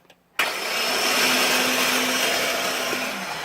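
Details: 2005 Ford F-150 5.4: turning the key brings a sudden high, airy whine from under the hood, but the engine does not crank.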